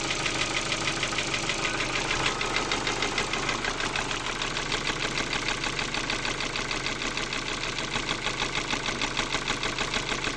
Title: focus 2 1.6 115 стук в двигателе